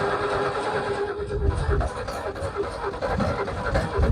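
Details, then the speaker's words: Ford XP Falcon sitting about 35 years, first start attempt on fresh petrol: uneven, lumpy cranking with an occasional half-catch that never takes; spark present, owner suspects low compression, plugs and borescope check next. "Like, it was just sort of trying to fire, so we know we're getting spark and whatnot, but it just seems like the compression's really low."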